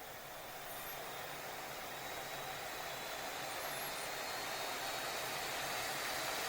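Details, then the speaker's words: MSI Stealth 18-inch gaming laptop fan at full load with Cooler Boost enabled in MSI Center: loud, even rush of air that swells slightly, like a plane taking off; normal operation. "지금 비행기 이륙하는 소리 아닙니다. 노트북에서 팬이 풀로드로 도는 소리예요."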